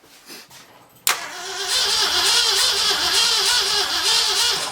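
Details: 1964 Ford F100 4x4 with F250 axles, sat over 30 years, first start attempt: a couple of weak turns, then a sudden catch into a loud, uneven roar for a few seconds before dying. It fires briefly but won't keep running; the owner still has to check power to the coil.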